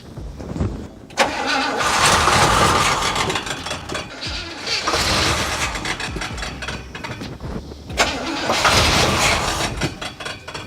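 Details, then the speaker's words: 1977 Oldsmobile 442 barn find, sitting 30 years, first test fire on starting fluid: uneven cranking bursts with ragged misfiring that catch briefly and die; cranks but no start, not getting fuel, fuel pump not working, later replaced. "it's not getting any fuel but it sounds like it wants to start after messing around the starting fluid for a while we came to the conclusion that our fuel pump was not working"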